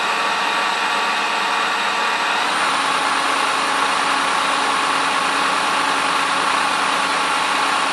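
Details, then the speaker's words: Pontiac Fiero alternator after rebuild (cooling fan had self-destroyed during a race, other faults too), tested on the bench: simulated start, battery 12.18 V, charging begins; even steady whirring hiss with thin high tone partway, no rattle or grind; normal running. "On démarre la voiture et on commence à tourner. Le charge commence à mettre en place."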